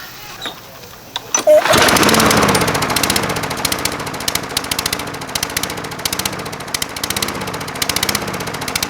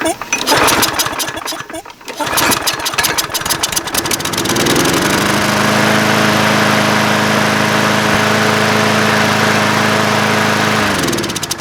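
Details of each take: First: Craftsman 22" mower with Briggs & Stratton 190cc Platinum engine, oil level fine: idles low and surges up and down in slow waves, running super lean from a restricted main jet in the carburetor. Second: Craftsman 22" mower with 190cc Briggs & Stratton Platinum engine, after cleaning the carb bowl: after a few seconds of rattling and pulling the engine catches and holds a steady, even speed. Previously it surged from running lean.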